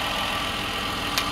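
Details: Car that had a constant clicking and no start, idling after battery terminals cleaned and alternator charging at 14.5–14.6 V: steady, even petrol idle with a brief tap near the end; starts first try, sounds healthy.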